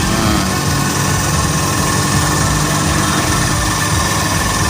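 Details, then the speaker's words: Honda Beat automatic scooter after crankshaft bearing replacement, fan and housing not yet fitted: even steady smooth idle, low hum, no knocking or rattle; normal idle. "nih sekarang kita dengar suara mesinnya halus Oke ini belum dipasang kipas dan juga rumah or ya"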